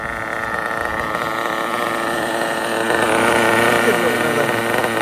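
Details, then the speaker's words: RB CE nitro engine with sealed back plate in an RC drag car, running slightly lean down low: loud buzzy idle whose speed creeps up a little, then levels off. "SS down [Applause] low hear how the idle was going up a little bit now it's leveled off"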